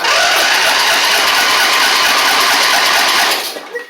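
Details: Husqvarna LGT2654 mower V-twin, hour meter reading 19 hours, started on carb spray with battery fitted: loud, high, buzzy run held steady about three seconds then cuts off; fires and runs on spray.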